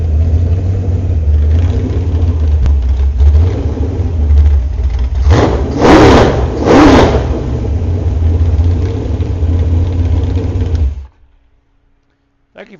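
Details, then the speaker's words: Paul's 355 small-block Chevy with .480-lift cam and NASCAR heads, already warmed up, pushed outside in Canadian winter running on open headers: deep lumpy V8 idle, two sharp throttle blips, clean shutdown, even running, no valvetrain tick; normal running. "we warmed it up already with muffers on we're going to push it outside this is Canadian winter"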